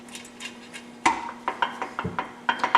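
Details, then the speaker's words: Midwest Super Cub aftermarket 4-speed tractor transmission during assembly: sharp metallic clinks and rattles as gears are rocked by hand with bolts finger-tight, backlash still present while shimming; aiming for zero backlash versus book 3–5 thousandths. "There's some looseness in there yet. You can hear it rattling."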